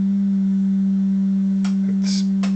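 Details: Pye TRS-2000 AM/FM radio with AM bass distortion, signal generator modulated by a 200 Hz tone: steady, pure low hum at fixed pitch with no buzz or rasp; clean 200 Hz tone.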